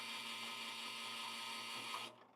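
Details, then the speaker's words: Lelit Bianca espresso machine with flow control wide open at full pressure: loud, steady buzzing whine from the pump, which disappears when flow is lowered; abnormally noisy pump, cause not yet identified. "okay so this pretty loud but if I'm going to lower the pressure okay the uh the flow flow control so I'm going to start with the full full pressure here pretty noisy"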